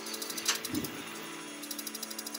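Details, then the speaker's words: Hippo portable gas shower boiler with gas supply turned off, simulating an empty bottle: rapid steady igniter ticking, about a dozen a second, trying to ignite but never lighting, no gas. "you can hear it ticking because it's trying to ignite, but it can't ignite because there's no gas. So if you hear that noise, then the chances are your gas has run out."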